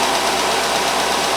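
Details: 2005 Chevrolet Tahoe petrol engine after crank-no-start diagnosis, long unused, following power steering pump job: running steady and even with no knock or miss; some blue smoke on shutdown; healthy run.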